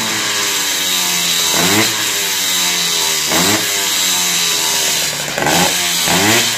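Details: Tomos 65 cc two-stroke moped on its stand, warming up with a newly fitted aftermarket air filter replacing the lost original, before delivery; crisp high buzz with four clean rev sweeps up and back down, quick even pickup, no misfire: healthy revving.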